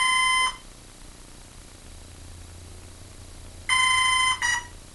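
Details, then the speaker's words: Hobbyking F4U Funfighter with a FlySky six-channel receiver bound to a Turnigy 9X. Sharp high beep bursts repeat after about three-second pauses, ending in a short double; throttle gets no response. Speed controller error signal; owner suspects the controller is bad, unconfirmed. "if anyone out there knows what those beeps mean give me a holler i personally think speed controller is trash"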